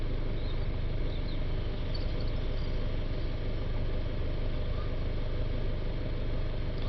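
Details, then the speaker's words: Citroën Jumper 2.0 diesel van, restarted after the DPF additive tank was refilled and reset, with DPF pressure at 4–5 mbar; a smooth, even diesel idle with no misses, knocks or hunting. Normal idle. "Okay, so I've just started up the engine again. We've got 4 or 5 millibars of pressure now."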